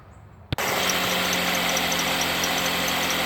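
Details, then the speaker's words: 2008 Ford Escape 2.3L just after a cold start: the engine catches and a steady high squeal from the belt area rides over the idle, quieting once warm. Cause is unconfirmed; the belt, tensioner and idler are being replaced. "Alright, we got this 2008 Ford Escape here, and we've got a squeaking noise up here, and I'm going to go ahead and crank it up and see if we can get it on video here."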